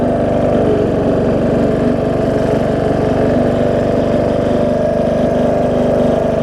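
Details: John Deere D110 mower V-twin test-running after a full rebuild with a new head gasket, done after a detached flywheel magnet was found: even, steady drone at fast throttle, no knocking, misfiring or surging. Possible valve-cover oil leak, maybe burn-off. Normal running.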